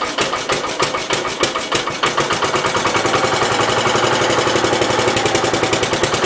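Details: 1969 Gravely 432 tractor single-cylinder, cold start at about 15 degrees after issues fixed, small fuel-pump leak; steady, even chuffing about three beats a second with no knocks or misses; healthy cold idle.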